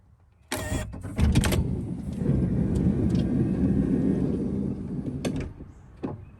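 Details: 2012 Honda Odyssey Touring Elite power sliding door after greasing its mechanism to cure an intermittent pop on opening: click, steady motor whir about four seconds, soft latch thud, no popping; normal operation, though the fault is sporadic.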